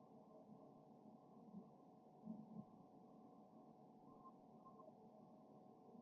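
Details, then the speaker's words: Hcalory Toolbox TC2S 8 kW diesel heater running, blowing hot air, exhaust nearly smokeless: low steady fan hum and hiss, no ticking or surging, about 68–70 dB measured beside the exhaust (claimed 65 dB); normal running. "Pretty quiet. It's right around 70 decibels. I can talk louder than the machine is running."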